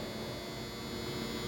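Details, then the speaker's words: Newer-model Philco microwave buzzes loudly as soon as it is switched on but does not heat; something is shorted, magnetron suspected as a classic Philco fault, not yet confirmed. "Eh, o microondas ele não tá esquentando, você liga, ele faz um barulhão, tá vendo, ó?"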